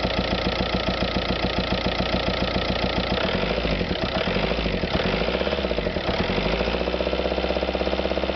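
Diesel idle with a loose, uneven knocking beat near two a second that changes character partway through; source of the noise isn't clear.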